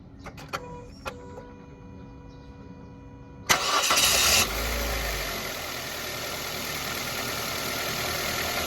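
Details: Mazda Verisa: after a few chimes it cranks, catches and settles into idle with a steady ticking engine knock riding over it; cause unknown.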